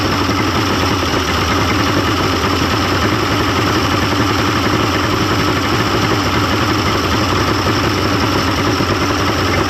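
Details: 1995 Mercury 200hp XR6 Blackmax two-stroke outboard, after timing adjustment and clearing carb jets: steady even burble at idle, no misses, surging or knocking; runs much better than yesterday, normal idle.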